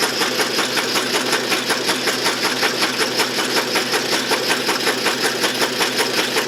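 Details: Can crusher after fitting new stainless steel axles and pillow block bearings freshly packed with white lithium grease with Teflon. Even, unbroken rhythmic clatter at about 160 beats a minute, turning smoothly: normal operation.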